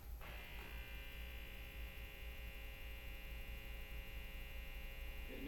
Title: Buzzing sound when neon is on